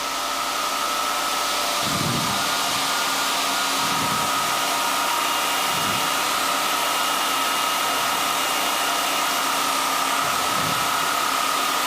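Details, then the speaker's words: SAQ Grimeton 1924 Alexanderson alternator VLF transmitter, antenna connected to high-frequency transformers, key down; speed control fairly good and very constant under load; steady high hum at one unwavering pitch, no sag; normal running under load. "And we have a fairly good uh speed control even with the key down. I would say it seems to be very constant."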